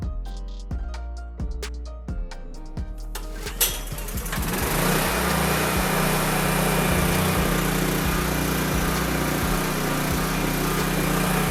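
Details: Honda EB3500 generator: music first, then the engine catches and settles into a steady, even hum with no hunting or misfire; normal running.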